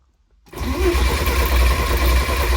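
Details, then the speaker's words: Porsche 944 Turbo with 07K engine swap on Haltech, cranking to build oil pressure: starter grinds the engine over with an uneven, coarse whirr. Owner thinks it sounds iffy and plans to snug the starter bolts; cause unconfirmed. "I am going to snug up the starter bolts a little more, just because it kind of sounds iffy if you did hear it in the last clip."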